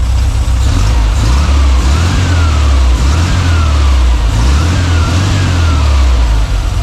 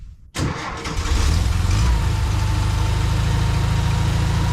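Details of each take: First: well there you have it guys so a new Carby and the little baby is idling Like A Champion Second: 1952 VW barn door ambulance engine with a high idle, after adding an extra fuel pump gasket to cut fuel pressure: it catches and stays at a fast, hunting idle with no change; a damaged idle mixture screw bore in the carburetor is suspected.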